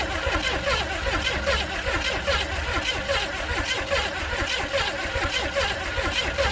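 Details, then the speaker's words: 400 small-block Chevy in rat rod, sat outdoors 13 years, cranked after gas dumped in carb: starter churns steadily with no firing; spark present but plugs pulled fouled and wet. "I pulled the spark plug and checked to see if we'd spark and we did but when I pulled that plug out it was uh all fouled up um and wet"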